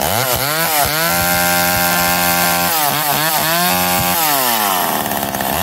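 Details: McCulloch Eager Beaver 2.0 chainsaw after rebuild, spark arrestor back on, probably warm, run to burn off old gas: revs up and down cleanly, steady high buzz between blips, crisp throttle response; healthy.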